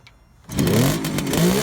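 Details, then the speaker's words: 1971 Kawasaki H1 500 two-stroke triple with rebuilt engine, long-stored: catches and revs briefly with ragged, uneven crackle; no spark on center cylinder during ignition test, so it runs on two; ignition or plug cap suspected. "okay we're testing the ignition but we have no spark on the center cyinder so we're going to try to figure out"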